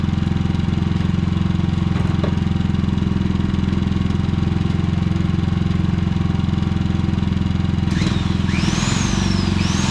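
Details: Predator generator after fix of surging (reassembled), running in eco mode; even, steady engine beat with no hunting or surging, brief outside chirps near the end: running healthy.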